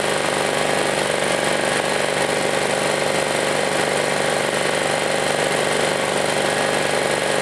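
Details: Chinese Honda-clone generator recovered from a field, repaired and started to test power output: steady, even buzzing single-cylinder drone holding constant speed, no misses or knocks, doesn't smoke, good power; normal running.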